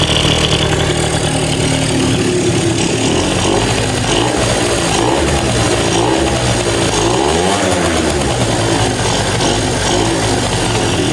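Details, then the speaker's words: 2005 Yamaha Zuma two-stroke with a big bore kit (China cylinder and piston, Polini head) and a repacked silencer, with a fuel leak at a loose hose. Steady, even two-stroke burble without stumbling or hunting. Normal idle. "So running all right. Let's address that leak. Yeah, so it's idling good."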